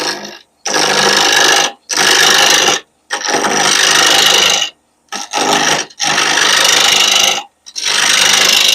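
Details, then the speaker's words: Laguna 1524 lathe at 1588 rpm, spindle roughing gouge on a Halloween blank: rough, chattering knocking bursts as the gouge hits the corners of a blank not yet round. "That sound, that knocking sound tells me I'm not to round yet."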